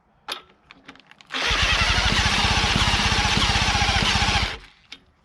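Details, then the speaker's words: Late-1940s Johnson Seahorse KD15 outboard, long sitting: about three seconds of fast, even pull-start cranking with only the odd sharp pop; fires occasionally but won't start, carburettor or starting procedure suspected. "It is firing once in a while. Let's give her some more choke."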